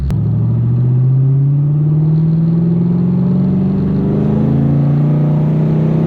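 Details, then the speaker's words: LS-swapped Infiniti G35 V8 at wide open throttle after sitting 2–3 weeks: deep, smooth climbing pull with no misses or knocks; fuel trims and oil pressure good, engine healthy. "Okay, so fuel trim levels are good under wide open throttle. I think we might be good."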